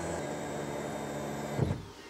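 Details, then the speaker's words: 2008 BMW E90 335i N54 with a DIY stage 3 fuel pump upgrade for full E85, key on, hobbs pressure switch shorted: a steady electric whine and hum, then cut-off after about 1.5 s as the secondary fuel pump switches off, working correctly. "I heard that Prime now I'm gonna go for the hop switch now you can hear the secondary pump running only when in short the hog switch"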